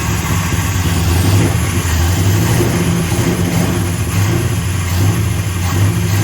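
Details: 1965 Plymouth Satellite V8 with a newly fitted Edelbrock 1912 800 cfm carburetor replacing a 1407 750 cfm: revs with a loud, steady hissing suck over the rumble, a big vacuum leak at an open carburetor port.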